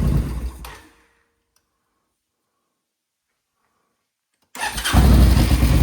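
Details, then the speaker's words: Suzuki VS1400 Intruder V-twin after carbs blown out again and refilled via the fuel pump: catches and settles into a low, even idle with both cylinders firing steadily; normal idle on both cylinders. "Oh, I think we're getting two. I think I'm hearing two cylinders started."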